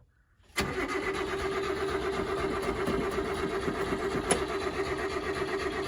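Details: Subaru Sambar kei truck after winter storage: starter cranks steadily about four beats a second for five seconds and never catches; fuel starvation, fuel pump suspected, later found to be an animal-damaged hose.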